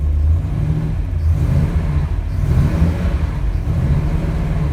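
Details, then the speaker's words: 1948 Mercury coupe, cold, idle with throttle blips: deep throaty burble with slow even swells, not overbearing, no ticks or knocks; oil pressure a little over 60, water temperature cold. Normal idle and rev. "Has a nice throaty sound to it. It's not overbearing by any means."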